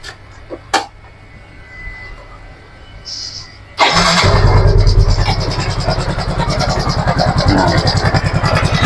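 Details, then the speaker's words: Yamaha Mio M3 scooter engine starting and idling with a rough, rattly chatter over the exhaust beat; abnormal engine noise traced to a worn camshaft bearing. "Nah jadi eh suara kasarnya itu seperti itu ya pokoknya ada suaraaneh di bagian mesinnya ini ya"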